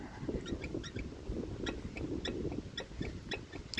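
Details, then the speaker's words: Wheel hub rocked by hand side to side and top to bottom: short, high squeaks, two or three a second, as the hub flops around. A bad wheel bearing with excessive play. "you might hear it squeaking there i don't know how well it's going to show with me trying to hold this record at the same time but yeah it's just flopping all around on there"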